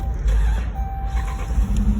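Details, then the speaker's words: 2012 Dodge Durango 5.7 V8 started after clearing codes runs with an uneven, stumbling low beat: hard misfires on cylinders 2 and 3, and compression test shows zero on cylinder 2. "two misfiring cylinders, two hard misfires, okay, which is 2 and 3. Cylinder 2, cylinder 3."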